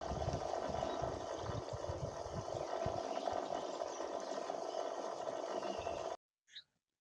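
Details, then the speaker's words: Borewell motor pump running with a rough, uneven rattle over a steady hum; this is pump noise, not motor noise, caused by worn pump bushes. "ఇది పంపు sound main ఇలా పంపు sound రావడానికి కారణం ఏందంటే పంపు బుష్లు అనేవి పోయాయి పంపు bush లు పోవడం వల్ల ఇలా సౌండ్ అయితే వస్తుంది"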